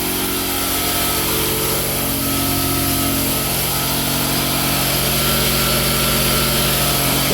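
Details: Newly installed Quincy 5hp two-stage air compressor on rubber-cork pads, running during soapy-water leak check of the union: steady even drone with a smooth pump rhythm around four beats a second, no knocks or hiss; running fine.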